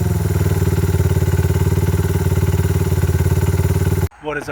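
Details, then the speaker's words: Honda XR/CRF100 with BBR 120cc big bore kit and FMF exhaust, second heat cycle after cooldown: loud crisp single-cylinder bark with steady even firing beat holding cleanly, then cut off; normal engine running. "It sounds pretty good with that FMF exhaust and that big bore kit."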